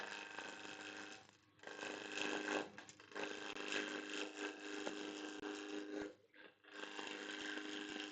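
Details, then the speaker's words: Wood lathe with a live center roughing an unround blank, started slow and brought up until it sounds like a propeller: a steady airy whoosh with a faint hum that drops out briefly and returns, a normal roughing speed. "Cover up some stuff cuz this will be make the chips fly everywhere. Bring it up till it sounds like a propeller."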